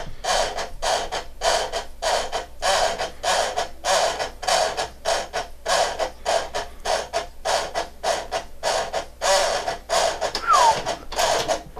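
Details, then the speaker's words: Panasonic 3DO FZ-10 with a seized laser-sled motor, on the third try after greasing the gears, removing excess grease and reseating them: rhythmic gritty grinding bursts, about 100 a minute, each scrape repeating with the drive cycle; still grinding, cause unconfirmed. "still sounds pretty bad I mean starting but it doesn't so"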